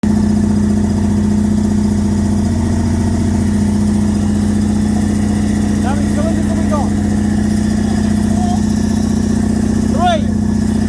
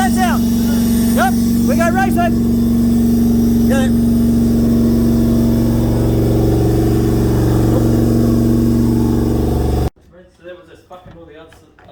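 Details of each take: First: Toyota 1UZ-FE V8 in a Bushlux, run after sitting for years: lumpy, uneven idle with several cylinders dropping out; misfire from sticking valves/followers, cam lobes crusty and unworn as the valves weren't opening. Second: Toyota 1UZ-FE V8 (Bushlux), sat for years, after freeing a sticking valve and sanding a worn cam lobe: smooth, even V8 rumble holding steady about ten seconds, all cylinders firing, no misses, knocks or ticks; normal running.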